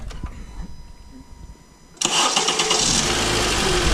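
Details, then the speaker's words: Acura TSX, new ignition coil fitted on cylinder 3 after P0303 misfire: engine catches at once and settles into an even, steady idle with no stumble or shake; smooth idle after the fix. "There you go, it's perfectly smooth, all right?"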